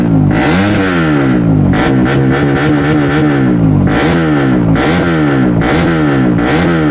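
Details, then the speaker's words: CRF engine with a new BRT 4-valve head, free-revved: repeated sharp blips that climb cleanly and drop back smoothly, with a very loud exhaust. Pickup is fuller than usual and the valve noise is loud, but there are no misses or knocks; healthy. "Oke teman-teman jadi untuk gas-gasannya bagus dari seperti biasanya itu jauh lebih padet kalau yang 4 ini cuman memang ini suara kenapnya berisik ya"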